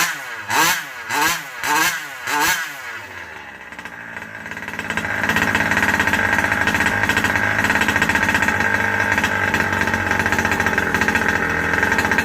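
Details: Rovan Baja 5B two-stroke just fitted with a new 1107 carburetor, still needing tuning: four short rising blips then a raspy high rev, slow to pick up; running lean on the low circuit.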